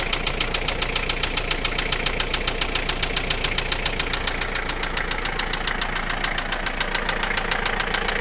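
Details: Toyota Lucida engine at steady idle: sharp, even ticking knock about three and a half per second; internal engine knock, source undetermined.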